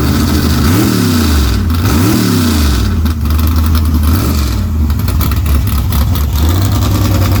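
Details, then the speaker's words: Small-block V8 with about 8–10 degrees timing added by ear, carburetors adjusted after engine swap: loud deep V8 picks up quickly on each throttle blip, settles cleanly with crisp response and no misses; healthy revving. "Hell yeah, it's snappy as a motherfucker, ain't it? It sounds good. It sounds fucking good. Sounds like a damn race motor, that."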